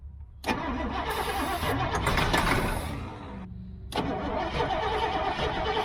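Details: Old GMC gasoline bucket truck with Holley carburetor issues, cranked from the cab while feathering throttle and choke, fuel seen in the filter; starter churns unevenly, pauses, cranks again without catching: cranks but won't fire, cause unconfirmed.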